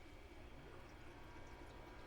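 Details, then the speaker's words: Countertop ice maker that had stopped pumping, a symptom of its cracked plastic ice bucket, reassembled and refilled with water: soft, steady trickle and splash over a faint low hum; the pump is primed and moving water normally. "Let's fire it up. Come around, lift that up real quick. And now the pump has got water."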